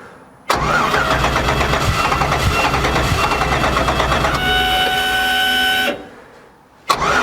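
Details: 1959 Chevy Apache pickup, first start attempt after sitting, coolant added: steady fast cranking chug with an uneven beat, then brief higher drone that never catches; cranks but won't start, fuel delivery suspected, not confirmed.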